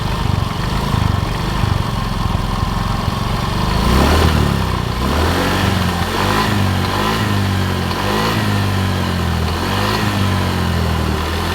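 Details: Yamaha Mio Soul GT 125 after replacing the cylinder block and piston and changing the oil: it idles evenly and blips smoothly with no rattles, no longer smoking and now running quietly.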